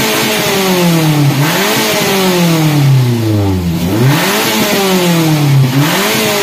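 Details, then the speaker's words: Daihatsu Gran Max petrol engine after catalytic converter repair, blipped repeatedly: revs climb freely but drop back slowly and hang between blips; throttle body cleaning needed for the hanging rpm. "RPM-nya macet . RPM seringkali macet, itulah sebabnya throttle body perlu dibersihkan."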